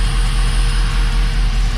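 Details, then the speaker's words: Dodge Dakota R/T, replacement 5.9L Magnum V8 from a Durango R/T, warm idle while air pockets bleed from the coolant, thermostat fitted: deep, even idle, with the coolant fan's rush coming on; no knocks or misses, temperatures staying low. "Just letting all the air pockets come out of the coolant, but she is good. There's our coolant fan coming on."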